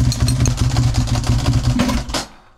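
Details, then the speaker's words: Ducati Monster 900 V-twin started during a home service, after the belt covers were removed and the engine timed to its marks: lumpy, uneven thump at a brisk idle with some dry clatter, then shut off; normal Ducati noise, healthy engine. "Vas-y, démarre. Il y a un bruit, c'est une Ducati, il y a un bruit."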